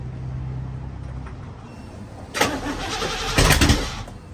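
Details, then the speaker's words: 1949 Chevrolet 3100 with a used 350 small block Chevy and rebuilt Holley 750 Street Avenger carburetor, first start after priming the oil pump to 60 psi and the carburetor: two short ragged bursts that stumble and die without catching. Rough failed start, cause unclear. "Give it a little bit of time. No, does not like that. Did not like that."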